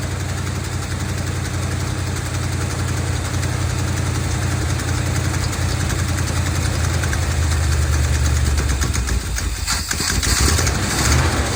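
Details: 1970 Dodge D200 V8 truck, received as a gift, started on brake cleaner: uneven, lumpy idle with irregular low thumps and surging, misfiring and running lean. Owner suspects a vacuum leak from the many vacuum hoses plugged off with screws.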